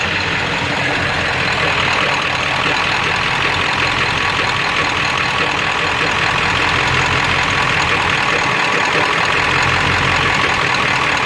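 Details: 7.3 diesel with knock and no power: ragged, loping rough idle with harsh clatter; later sounds like rod knock, EGTs good, cause unknown.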